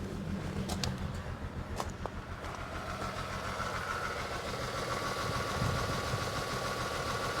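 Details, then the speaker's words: 2011 Chevrolet Equinox with throttle body correlation code P2135, in reduced power mode: the idle is lumpy and uneven, with a loping shake about three beats a second, as if only half the cylinders are running. The cause is suspected, not confirmed. "and when I crank this thing it runs very bad immediate reduced power mode oh like it runs very bad but let me crank this and I don't know if you'll be able to pick up how much this thing is shaking"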